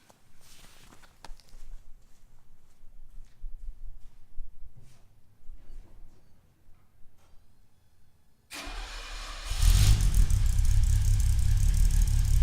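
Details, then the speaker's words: 1970 Mercedes-Benz 280SL pre-purchase inspection, second start: engine catches and runs loud and uneven, struggling at idle for about 15 seconds and stumbling on throttle; misfire felt, cause not found. "I let it idle on its own for I think there's like 15 seconds or so and so you can hear how it kind of struggled a little bit"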